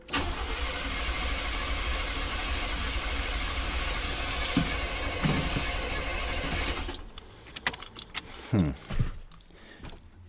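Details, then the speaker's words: 1990 GMC 350 small-block V8 after engine swap: starter churns at a steady beat for several seconds, no catch; cranks, no start. Fired briefly once; plug wires and firing order checked; owner believes timing is off, cause unconfirmed. "at least the engine cranks and it fired for a second now it won't fire it all it doesn't make any sense"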